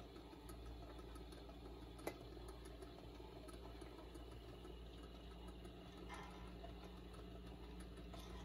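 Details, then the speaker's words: Turntable motor of a c1955 Admiral 6F11N AM radio and 78 RPM record changer, partly restored with new filter caps and other paper caps still original: quiet, even low hum with one light click, no grinding; motor running fine. "oh sounds like it is okay motors running"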